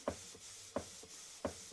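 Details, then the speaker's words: Model 19th-century Mary beam engine running on compressed air after oiling: crisp exhaust chuffs, strong one about every 0.7 s with softer between, like a steam train; normal exhaust beat, not an air leak. "That's the exhaust. Hear that? It's like a steam train. Actually sounds better when you can hear it."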